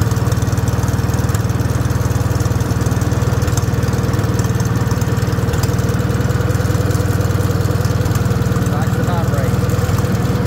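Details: Rebuilt Wisconsin THD air-cooled engine on a bench, babbitt and shell-bearing rods reused, factory aluminum head swapped for a flush cast iron head; deep even thumping about four beats a second, no knocks or misses, quieter with new head: healthy running.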